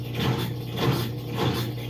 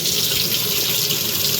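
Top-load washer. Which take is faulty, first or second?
first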